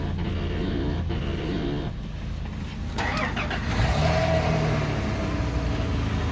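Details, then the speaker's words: Lexus SC430 after fuel pump resistor and relay fix with correct EFI No. 2 fuse: brief crank, then catches at once and settles into a steady, even idle with no stumbling; healthy start. "Fires right up, guys. Right, and again, that was the fuel pump and the EFI, this one right here, EFI number 2."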